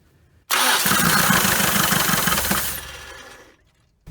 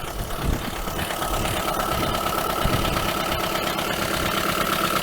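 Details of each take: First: 1980 Dodge Colt Challenger (Mitsubishi Galant Lambda) cranked after the rebuilt carburetor was installed and the float bowl filled: steady cranking for about three seconds with no firing; the throttle was stuck closed, probably hitting the gasket. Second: 1980 Dodge Colt Challenger (Mitsubishi Galant Lambda) with its cleaned, rebuilt carburetor installed: steady, even idle with no stumbling or hunting; the idle problem is solved, though float adjustment still needs tweaking.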